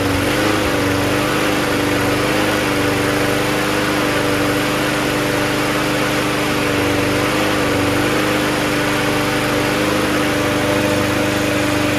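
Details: Toro GTS recycler mower with 6 hp Briggs Quantum engine, after carb cleaning and fuel line replacement; it needs priming. The engine holds a steady, even hum with no surging or misses over twelve seconds: normal running.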